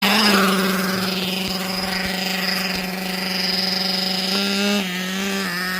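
Small engine holds a fast, steady high-pitched buzz instead of settling low, with brief pitch shifts; the idle is set too high.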